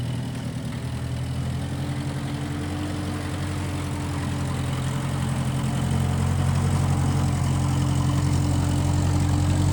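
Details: 1955 Massey Ferguson MF65 tractor, run after sitting a couple of years, carb cleaned; owner thinks the Marvel Schebler carburetor needs slight dialing in. Even low beat about four pulses a second, swelling slightly, no misses or knocks: normal running.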